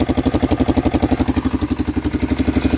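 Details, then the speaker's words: Yamaha Big Bear 350 ATV, about 20 years old: steady single-cylinder idle at about three pulses a second with a slight light tick that goes away above idle, plus exhaust puffing from a hole in the exhaust; no smoke. "That's about it though, really. I mean, it's got a slight tick. Nothing I'm too concerned about there."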